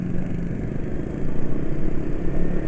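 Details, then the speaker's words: 155 cc single-cylinder scooter with an intake restrictor fitted inside near the filter, on Yamalube XP oil at 156 km: a low, even putter at idle with no roar or rattle. Smooth idle, less vibration, and the former "ngok-orok" noise is gone. "oli alusnya juga termasuk dari suara karena suara ngok-orokan itu hilang ya Terus apa maneh ya itulah ya Secara getaran suara secara suara itu jadi jauh"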